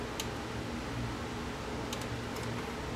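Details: JVC HR-S7600 VCR at power-on before installing a dynamic drum emulator, head drum unplugged: quiet room with a few light, sharp ticks as the small drum gears, which are known to break, rock back and forth; gears still moving, normal drum gear movement.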